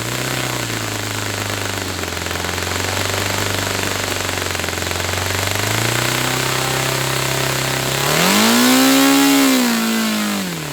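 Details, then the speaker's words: Saito FA-300T twin-cylinder model engine, hand-started cold on original glow plugs with a dual glow adapter: crisp, even twin beat at idle, then smooth rises and falls in pitch with throttle. Both cylinders are firing cleanly. "Okay, so both cylinders were firing then. It was sounding good."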